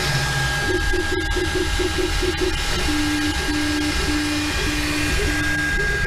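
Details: Anycubic Mega Pro 3D printer while printing: steady fan hum with short stepped-motor tones changing pitch as the head moves; normal, reasonably quiet operation. Only a slight print-head fan rattle at startup is noted, not present now.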